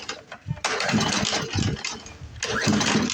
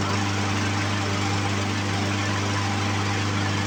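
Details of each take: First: Poulan Pro push mower with Briggs & Stratton 550EX engine, before carb fix, running on sprayed carb cleaner: catches in short ragged bursts and sags, skipping; won't prime, clogged carburetor starving it of fuel. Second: Poulan Pro push mower with a Briggs & Stratton 550EX engine, after a carburetor cleaning: it starts on the first pull and runs with a steady, even drone and no misses; the carburetor issue is fixed.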